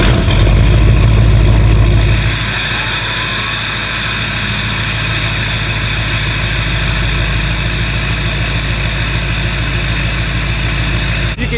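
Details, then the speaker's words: Duramax diesel cold start on a freezing (about 18°F) evening: fires and settles into steady idle clatter with a constant loud high turbo whistle, produced by a cheap $3 mod; nothing wrong. "You can hear the turbo whistle is extremely loud with that cheap $3 mod."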